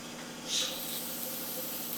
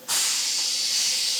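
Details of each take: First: CAT 3406B-engined Kenworth K100 cabover, undriven for 25 years, first start: once the brake air system is charged, a steady loud high hiss of compressed air leaks from the brake lines; the brake pedal still works and the leak's cause is unknown. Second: Air brake test on a CAT 3406B Kenworth K100 cabover that hadn't driven in 25 years: with one side charged a leak hiss is audible, then a sharp steady hiss as the brake pedal is pushed, brakes applying normally.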